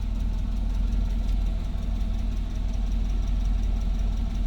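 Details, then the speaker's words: 1959 Hillman Husky sedan delivery, inline four, cold start without choke, indoors: quiet, low, even idle with soft regular pulse, no misses or knocks; normal cold idle. "Hear it run. Obviously pretty quiet. Not a lot of cubic inches pumping exhaust out."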